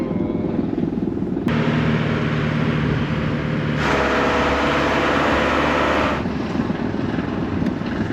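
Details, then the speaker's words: 32-year-old van rolling about a mile to the mechanic with its replacement differential; constant rough drone and growl from the driveline rising and falling with speed; failed differential. "Yeah, you guys can probably hear that. Doesn't sound good, but we're rolling pretty much all the way down to the mechanics, so. Oh, I don't like that noise."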